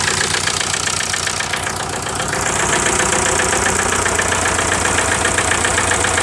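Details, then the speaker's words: 1998 VW TDI, ~500,000 miles, run on about 80% waste vegetable oil: uneven chuffing idle with rhythmic train-like stumble and heavy blow-by; second cylinder from passenger side low compression from stuck piston rings. "So I'll start up and you can see the misfire and the blow by. Kind of like a train, huh?"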